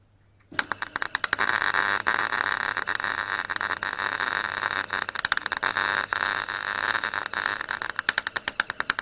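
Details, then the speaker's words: Clarke Pro 90 MIG welder, a beginner tacking and seaming a sheet-metal corner joint: a steady frying crackle breaks into irregular pops and gaps toward the end. The weld starts to sputter, so the welder stops. "It was starting to sputter, so I thought I'd stop."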